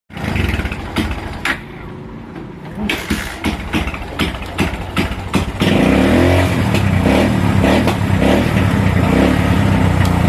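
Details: Motorcycle engine that won't settle at idle and cuts in and out with rapid backfire-like pops, worse at idle with the headlight on drawing current: an intermittent misfire from a faulty regulator and flat battery.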